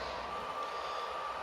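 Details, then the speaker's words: Secondhand PS4 Pro running while its system software update works: a loud steady rushing fan with a thin constant whine, blasting like a jet engine at full speed. "for us we need to get it running so while this is blasting here like a jet engine"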